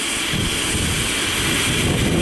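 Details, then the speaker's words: Silver Crest Hunslet Austerity J94 live-steam locomotive on coal fire: injector picks up and feeds boiler with steady bright hiss and high singing chirp; works properly only with cold water. "will pick up and start to feed and you'll hear that sort of chirping noise when it's teasing it will only work properly when the water's cold"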